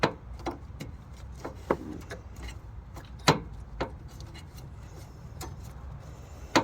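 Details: 2013 Nissan Sentra alternator, found after its broken belt was removed, pulley turned by hand: irregular sharp clicks a few seconds apart over quiet background; bad, rough alternator pulley bearing.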